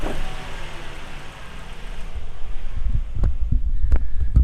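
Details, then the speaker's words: 2008 Kia Optima at idle with codes P0101 and P0103: a low rumble that sags then climbs back over a few seconds, hunting instead of holding steady; mass air flow sensor suspected, not confirmed. "so the car is uh still surging but let's go ahead and clear that trouble code and see if it actually comes back which i'm sure it will"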